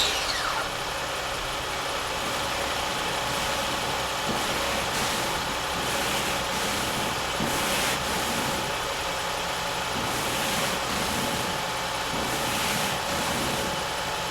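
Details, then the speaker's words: 2005 Acura MDX, cold start at about 30°F after replacing the power steering pump O-rings to stop the cold-start groan and whine when wheels are turned: settles into smooth even idle with no groan or rising whine from the pump. "so let's do a start right now and we'll try it out it's about 30° so hopefully it won't whine"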